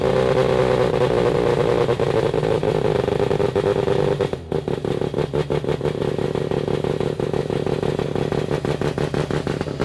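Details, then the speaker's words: Formula Mazda rotary engine: ragged, uneven revving with a stuttering, clattery beat from a misfiring rotor. Ignition is ruled out despite corroded points; the owner suspects a fueling issue. "The most likely thing I think is there's a fueling issue."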